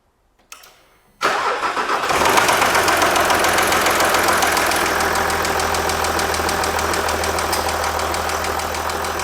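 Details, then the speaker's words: 2006 Jaguar XF 3.0 TD V6 diesel, tapping at start and idle traced with piezo pickups to cylinder 2, which also has lower relative compression: the piston hits the cylinder head at top dead centre, a fast, even light piston tap. "So I would say the cause of this noise is cylinder 2 at top dead center, the piston is hitting the cylinder head, and that's the tapping noise."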